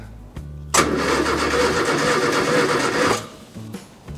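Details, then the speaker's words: Wife's 1970 Morris Minor Traveller that broke down on last drive: starter cranks steadily about two and a half seconds but never fires; fuel pump heard working, spark being checked next; cranks but won't start. "I'd test if you leave a problem long enough whether it' just go away but no she still won't start"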